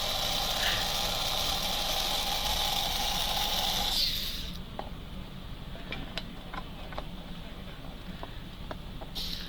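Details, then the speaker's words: Motor after pinion replacement and top plate work, run on test rollers at about 0.06 A draw: a high, even whine with a light buzzy rattle for four seconds. This is roller bounce noise, not gear noise. "And this thing has a little bit of a bounce and a little bit of noise to it. That's what you're hearing, is the roller noise, not gear noise."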